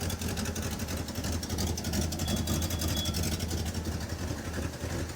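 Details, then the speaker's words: 1977 Pontiac Can Am V8, first start after years sitting, timing not yet set; smooth deep idle with faint puffing tick from an exhaust leak underneath, not yet confirmed. "but it probably is rolling around, but you do have an exhaust leak down there."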